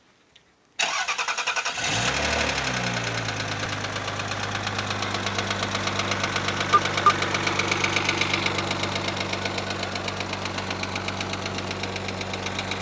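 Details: Rover 75 20K4F, very heavy knock after fire-up, about four per second over idle; cause found: two metal fragments in cylinder 5 (rear head), one trapped under a valve seat, apparently left from earlier camshaft job; two valves replaced.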